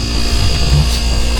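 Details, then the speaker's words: Refrigerator blowing warm air, after replacing the compressor relay: compressor and cooling fans kick in with low steady hum and faint buzz; smooth normal running, relay was the fault. "So you hear the compressor kicked in, and cooling fans is also kicked in."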